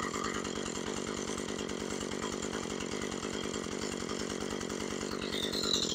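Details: Husqvarna 435 chainsaw with idle speed already set correctly: steady buzzing two-stroke idle with a light chain whir as the chain keeps spinning at idle; clutch suspected, cause not confirmed.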